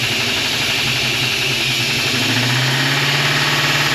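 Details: 1956 Chevy small-block V8, first start after sitting outdoors two years: loud rough uneven idle with hiss and clatter; exhaust leak certain, possible large vacuum leak suspected, clatter on one side, new HEI distributor, valves just set.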